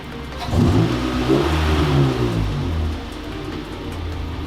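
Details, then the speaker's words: 2002–2005 Honda Civic after idle air control valve replacement and fuel pump change: the petrol engine starts, flares briefly, then settles into a steady, even idle; it sounds better, though some problem may remain. "sounds better let's give it a sec all right guys it's been idling for quite a while now"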